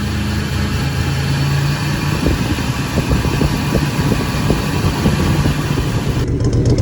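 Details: 1997 Ford F150 after valve cover work: loud, steady low rumble with an even beat, and the earlier light tapping is gone; normal idle, fix confirmed.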